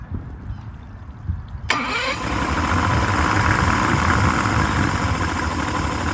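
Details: 2006 Yamaha 150 TXR two-stroke outboard after a hard run: quiet cranking, catches abruptly, briefly revs, then runs unevenly and putters out; idle about 800 rpm, down from 1,000. Primer bulb stays hard despite new fuel system parts, cleaned carbs, plugs, compression around 120.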